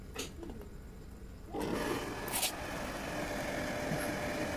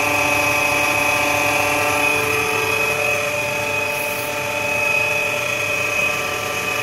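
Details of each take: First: Shimizu 268 BIT jet water pump, previously noisy, after repair with rotation now light by hand, bench-tested on mains power before reinstalling: motor switches on and settles into a smooth, even hum, back to normal. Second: Shimizu 268 BIT jet pump, mounted too low and its base buried in cement: loud steady high whine and rough hum before repair; noisy dynamo, worn motor bearings; switches off near end.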